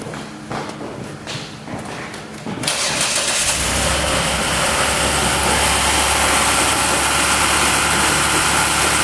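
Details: Dodge Nitro started after reassembly: short crank, the engine catches at once and settles into a smooth, even idle with no knocks or squeals; normal startup and idle.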